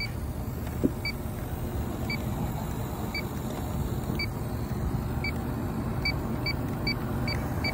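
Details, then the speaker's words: Leak detector chirping about once a second over engine and fan noise, quickening near the end, at the AC condenser, which had zero PSI yet shows no oil stains; refrigerant leak confirmed at the condenser. "okay we got a leaky condenser but I'm not going to stop there there's no oil stains at all this had zero PSI in it"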